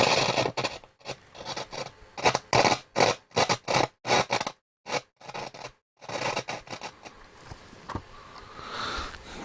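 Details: Hacker Mini Herald RP17 transistor radio (AF117 transistors) on first power-up: irregular crackling scratches come and go as the volume knob turns, indicating a dirty volume pot needing cleaning; the output also sounds like it has DC on it, possibly from a shorted cap.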